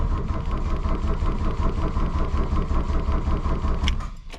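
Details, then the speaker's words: 1982 VW Rabbit diesel, cold: glow plugs cycled twice, cold choke pulled to advance injection-pump timing, both batteries jumpered with the charger on but not fully charged; slow cranking, one weak attempt to fire, then it stops; owner suspects a fuel prime issue; hard start. "you hear it try to fire the first time soon as that light goes out I'm going hit the key again"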